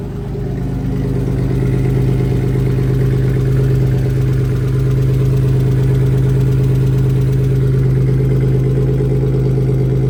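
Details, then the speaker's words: BMW E36 318i after M50 engine swap (originally four-cylinder), exhaust and hangers unfinished: starts right up and settles into a smooth, even low drone with a steady beat, no knocking or ticking; normal healthy idle. "Starts right up. No problems. That's what we want to see."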